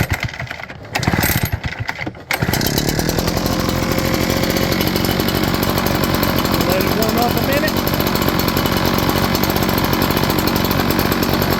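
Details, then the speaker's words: Echo PB8010T backpack blower after replacing the ethanol-corroded carburetor: primed and choked, catches after a couple of pulls and settles into a fast, even two-stroke buzz; previously wouldn't crank, now running fine. "thank you as you can see before it wouldn't even crank"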